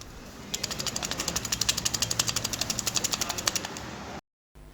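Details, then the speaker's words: Honda CG125 clutch basket shaken by hand off the engine: quick metallic rattling at about four clicks per second shows excess play; the worn clutch basket causes engine noise and should be changed. "यह आवाज़ इसकी नजर ए रही है कितनी play इसके अंदर है"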